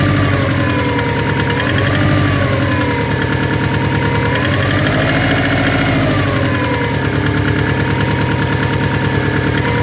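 At idle there's an uneven knocking, about three a second, riding over a steady mid-pitched hum; the knock is there, but its cause is unclear.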